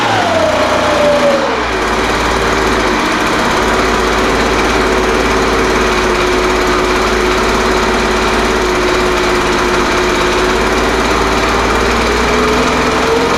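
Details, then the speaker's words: Older Craftsman 200mph blower, sat unknown time, restarted after the high-speed mixture was opened slightly: revs sag from a high scream into a lower buzz, then hold mostly steady. Carburetor acting funny, high-speed mixture still settling after sitting. "the carburator was acting a little funny but sometimes they do that when you first get them running again after they've sat"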